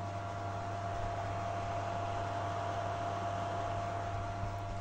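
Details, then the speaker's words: PS3 console after swapping in a spare cooling fan: steady, smooth airy hum with low drone and faint tone, no scraping or vibration; the earlier harsh rubbing noise that shook the casing is gone. "suara kipas normal ya seperti itu Jadi tidak seperti tadi yang seperti ee gesekan yang parah ya"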